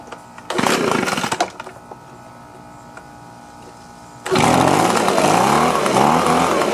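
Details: Echo two-stroke leaf blower after cleaning and reassembly on choke: brief buzzy burst, a pause, then a steady high drone that holds even; starts and runs fine: normal running.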